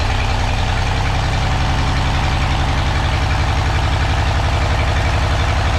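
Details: Engine idling with an uneven, stumbling beat that keeps dropping a pulse; misfire caused by crossed spark plug leads touching each other.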